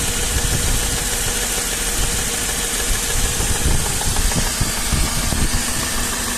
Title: стук мотора m113 запуск на холодную стук, что может быть?